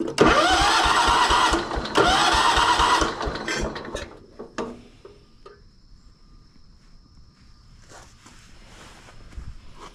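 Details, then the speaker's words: Abandoned 1983 John Deere 210 lawn tractor after carburetor and fuel pump rebuild, pump reinstalled: about three seconds of steady rhythmic cranking that never catches, no fuel pumped out though diaphragm is heard moving; cranks but no start, fuel starvation from clogged fuel line. "Well, it's not pumping any fuel out, which is weird because we just went through and it causes a vacuum and you can hear the the the diaphragm moving."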